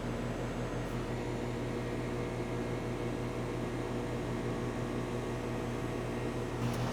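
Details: Home A/C condenser just switched on after a rebuilt sound blanket was installed, heard close: steady low hum with constant fan rush, no knocking, rattling or rising whine; normal.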